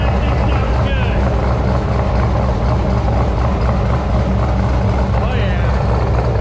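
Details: LS V8 with big cam, first start-up after replacing failed aftermarket header gaskets: deep, lumpy, choppy idle with steady exhaust rumble and no ticking or puffing from the headers; exhaust leak fixed, oil pressure mid-gauge.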